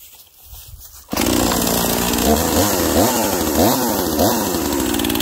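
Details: Husqvarna 242XP small two-stroke chainsaw used for tight-quarters tree work: bursts to life and revs cleanly with crisp throttle swings, strong even RPM; runs healthy.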